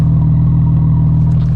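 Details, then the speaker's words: Tuned Audi S4 with upgraded injectors, warmed up, no leaks and no check engine light: steady, even low rumble with no misses, knocks or ticks; normal idle. "Idle sounds completely normal. Doesn't look like there's any leaks, so I think we're good to actually push it."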